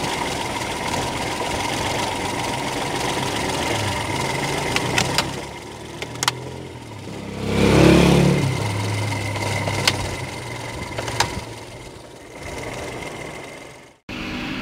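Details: Kancil 850 engine on a cold morning, prone to hard starting, started with the air filter off and the faulty autochoke flap held shut by hand; it catches, revs briefly, then settles to a steady, fairly even idle of about four pulses a second, a normal cold idle.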